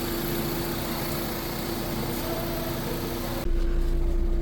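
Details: 2005 Honda Civic idling after fuel pump and wiring repairs for misfire and stalling, with a smooth, even low hum and no stumble, shake or hunting; normal healthy idle.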